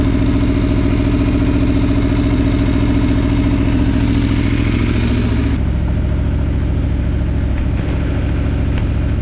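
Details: Aprilia Tuono V4 idling after valve clearance service and fresh oil: smooth, steady low idle with even firing beat, no ticking or knocking; no check engine light, no starting issues, initial chain clatter gone.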